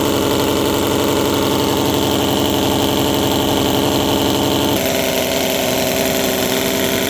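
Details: 50 cc gasoline mini V12, overhead cams, coil packs, with MS3 Pro replacing the stock ignition module: fast even buzzing idle then a clean step up in revs, no misses or knocks; runs healthy.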